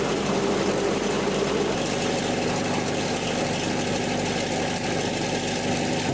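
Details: 1984 Nissan 720 pickup, Z24 engine, after replacing possum-chewed spark plug wires: steady, even idle with a smooth low drone and no stumbles or skips; runs cleanly without misfire. Normal idle.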